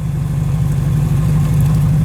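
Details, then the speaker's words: Honda Civic with eBay turbo kit, new Kemso 340lph fuel pump, mostplus injectors and OBD1 ECU with chip on a base map, first start: fires right up to a steady, even low idle with no misses: normal idle. "let's try to fire it up see what it does and there we go it fired right up so that's a perfect"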